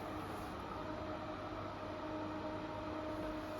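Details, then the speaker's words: Extractor fan compared against the Intervent NVF100P: steady, fairly high motor whine over a lower hum, unchanged throughout. It sounds more powerful but doesn't move more air; the loudness comes from a whining motor, and bearings can add to it. "Only because the fan sounds really, really powerful and noisy, it doesn't mean it's going to blow more air. The reason why it's so loud is because the motor's really loud. The motor's just whining, and the bearings can make it louder as well."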